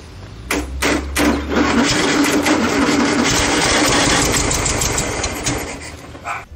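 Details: Air-cooled VW Beetle flat-four swapped into motorcycle build, first start after oil pressure confirmed, fuel heavy on two-stroke oil: starter cranks, engine catches and runs with busy raspy clatter before dying; healthy first start.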